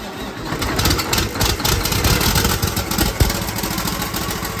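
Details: Detroit diesel truck engine just after its first start on a newly wired used computer: loud, even diesel clatter settling into a steady idle with no knocks; healthy, oil pressure reported at 65 psi.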